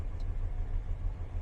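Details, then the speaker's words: 1999 Dodge Ram 1500 V8, cold start after sitting: fires right up with no throttle and settles into a deep, steady, even idle with no knocks or ticks; normal cold idle. "man fired right up didn't have to didn't touch the gas don't have the foot on the gas yet"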